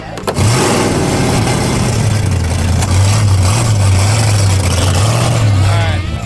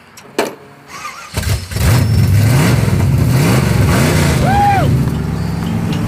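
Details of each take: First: 1976 Chevrolet El Camino drag car, carburetor unhappy after fires and hesitation, with a big hole on throttle: deep lumpy V8 rumble that wavers and stumbles instead of settling, a rough idle. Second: 1976 Chevrolet El Camino barn-find drag car, started after the coil wire was bolted and taped: cranks briefly, catches and settles into a steady loud lumpy idle, starting and running cleanly.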